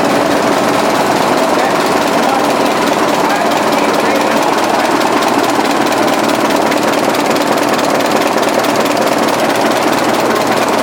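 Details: 1920s 45 hp General Electric genset, serviced after over 10 years unrun, governor being adjusted, exhaust piped outside: loud, fairly even chuffing about two per second, steady without stumbling; pretty healthy sound.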